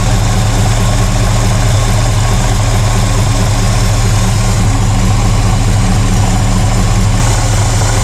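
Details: 1968 Pontiac LeMans after a winter of sitting, warmed up by running: holds a steady, deep, even idle on its own with no stumbles; sounds healthy.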